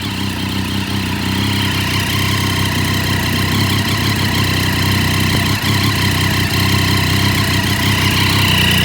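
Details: Triumph Daytona 675 at steady idle: quick, slightly uneven puffing tick on top; owner suspects an exhaust leak, unconfirmed.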